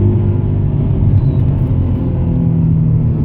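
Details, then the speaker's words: Subaru Legacy GT with destroyed clutch, hard throttle test; engine drone holds steady near 5,000 rpm while speed climbs instead of revs rising with road speed; badly slipping, burned clutch. "see how it stayed at like five grand but it was like the speed was climbing means the clutch was slipping pretty bad"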